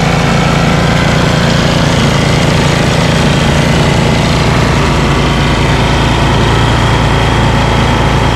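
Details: Ariens ST1128 dual-stage snowblower, 11HP Tecumseh Snow King single-cylinder engine, after carburetor cleaning and pilot jet fix for surging, cold day. Despite an apparently ~5HP carburetor, a steady, even beat with no rise and fall in speed: normal running.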